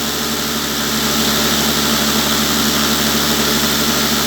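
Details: Homemade vibratory tumbler cleaning parts with sand media, hung on cords to absorb and concentrate vibration at the basin: steady, even buzzing rattle with hissing media, no knocks or surges; normal operation at working speed.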